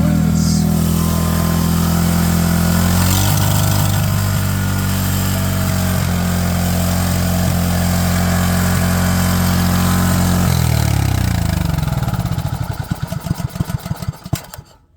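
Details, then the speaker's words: Chinese small engine at 5 degrees after sitting a month, governor zip-tied wide open, running under a bucket; steady high-speed drone sags to slow separate thumps and dies as the zip tie slips loose. "Not gonna lie, the RPM sounds like it's slowing down already."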